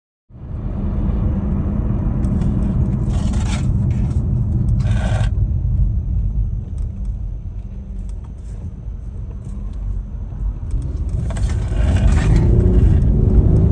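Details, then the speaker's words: Nissan VQ35HR after oil galley gasket leak fix, new water pump, timing chain guides and tensioner, running after refilling coolant: deep, even rumble with a smooth steady beat, no ticking or knocking; normal running. "Wonderful. As you guys are hanging over here over there. Engine is working smoothly."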